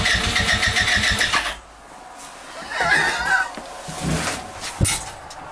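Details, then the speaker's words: Go kart small engine, cold start in snow just above freezing, starting spray used: quick, uneven cranking chugs with a few near-catches that die out; fires briefly but won't run, hard cold start. "this is definitely a cold star hard start it's not even that cold out either just above freezing"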